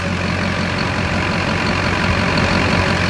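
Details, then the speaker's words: Squarebody truck with Duramax diesel, compound turbo build, idling: uneven metallic rattle over the drone, coming and going whenever the belt tensioner moves; owner suspects a worn belt tensioner needing replacement. "anytime it goes it like rattles so I may need a new belt tensioner that's not the end of the world"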